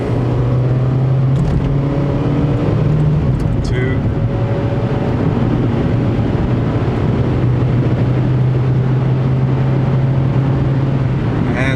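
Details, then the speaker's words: Used car test drive accelerating to 50–60 mph: the engine note climbs and drops cleanly at each automatic upshift over road noise, with no slipping, flare or harsh engagement; downshifts are also good, normal shifting. "there you saw it shifted shifted pretty smoothly there was no slipping no uh no kicking into gears none of that"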